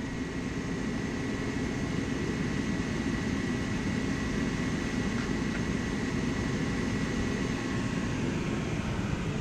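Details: Forced-air heater, oil burner with fuel pump pressure set to about 3.5–4 psi per spec, after spark ignition: a steady, even jet-like roar with no sputtering or surging. The burner is lit and running cleanly.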